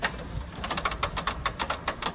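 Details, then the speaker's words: 1992 Pontiac Firebird, long abandoned, headlight motors cycling on battery power: sharp, uneven clicks, several per second, with little motor hum beneath; the headlights work but click oddly, cause unknown. "They do work. They just click really weird. I don't know why they do that. Very odd."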